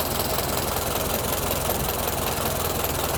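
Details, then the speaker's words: 1925 Ford Model T after decades sitting, points cleaned, fuel running low: old four-cylinder chugging at steady, slightly loose idle with busy mechanical clatter, no misfire; great running engine, normal idle. "That's cool. That's a great running engine. - It is."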